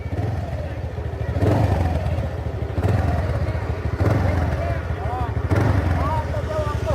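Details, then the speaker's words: TVS Ntorq 125 scooter, about 15 days old, after first service, engine warmed up: steady low putter climbing smoothly with throttle blips, no click; the earlier click came from the auto choke when cold. "ये देखिए, अभी गाड़ी स्टार्ट किया हूँ मैं, तो आप देख सकते हो कुछ साउंड भी कुछ नहीं आता है। मैं एक्सीलेटर देता हूँ, आप सुनिए।"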